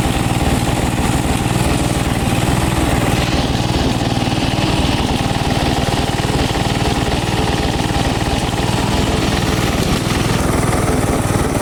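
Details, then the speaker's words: Craftsman garden tractor with Briggs & Stratton single-cylinder engine, day after Nikki carburetor rebuild kit fitted: chugging at a fairly fast, slightly uneven beat without stalling, running rough though it mowed with plenty of power; cause not confirmed. "Okay. So, it's the next day and uh It's not running perfect, I know that."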